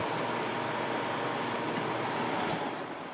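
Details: Idylis 12,000 BTU portable air conditioner, evaporator fan run alone at medium speed: steady even airy whoosh, no rattle, tick or whine, fading at shutoff; fan runs smoothly.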